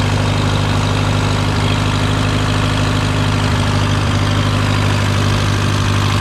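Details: Case VAC tractor idling after a new aftermarket water pump was fitted (it had overheated to 80°C and still climbing after a coolant change); temperature steady around 40°C, coolant flowing. Steady low chug with an even beat, no knock, squeal or grinding; healthy.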